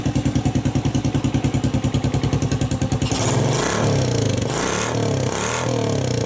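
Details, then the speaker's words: Mad Max Postie bike build with pod filter and cut-down open exhaust, started and revved: steady rapid thumping idle, then revs rise with crackling pops from open exhaust; engine runs clean, normal running with popping exhaust. "that sounds pretty cool just as it is got a real pop to it just give that a bit of a rip"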